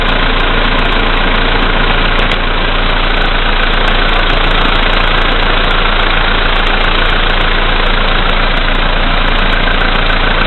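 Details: VW Polo Sedan, CFNA engine, 2222 km, cold start at -5°C after overnight; oil three marks below max, Lukoil 98 fuel. Steady knock, three to four per second, at cold idle; it gets heavier when lights and heated glass are switched on. Cause unknown.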